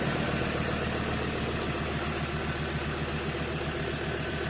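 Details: 2015 Ford Transit 3.2 diesel after loud rough idle fixed by replacing drive belt idler pulley: steady even low clatter at idle, about three to four beats a second; normal idle.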